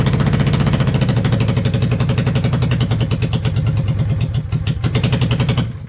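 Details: 1995 Honda VLX 600 V-twin after carb cleaning: low, loose potato beat at idle, steady and even, then shut off; normal idle, though charging reads about 12.2 V running, stator or rectifier suspected.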